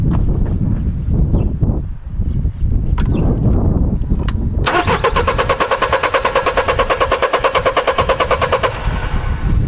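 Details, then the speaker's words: Mercedes-Benz E-Class W210 220 CDI diesel that won't start after stalling warm; codes P1354 (no crankshaft signal). The starter spins evenly for about four seconds with no firing. The scope shows a dead crankshaft position sensor, which is to be replaced. "So yeah, totally dead signal from the crankshaft itself, from the crankshaft sensor. So yeah, for sure we have a faulty crankshaft sensor."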